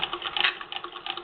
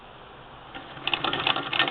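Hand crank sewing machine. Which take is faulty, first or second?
second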